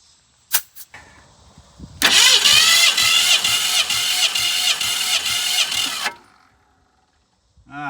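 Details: 1965 Ford Fairlane barn find sitting since 2001, cranked during compression test, cylinders 141–160 psi; starter spins about four seconds with even, steady beats near three and a half per second; normal cranking compression.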